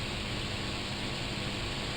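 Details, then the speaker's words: Fan after balancing and straightening the blades, running then powered down: steady, even whoosh of air with faint low hum and no wobble or thumping; blades pretty much straight, fan quiet and balanced. "check the shadow you can see they're pretty much straight as you can hear it's pretty quiet"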